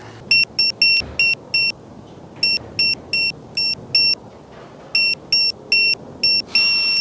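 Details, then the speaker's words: Mercedes C63 M156 V8 cam phaser rebuild, cam phaser bolts torqued in stages to 12 then 15 Nm: clusters of short, shrill electronic beeps as the torque wrench signals each bolt reached target. "now you should hear the beep once I've reached 15 Newton me and now we do the other"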